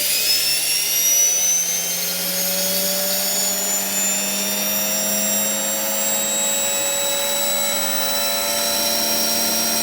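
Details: Hotpoint HTB721 washing machine with the motor hotwired, live and neutral fed straight to the brushes and field coil: a loud whine climbing steadily in pitch as it spins up, smooth and even with no grinding; the motor runs fine.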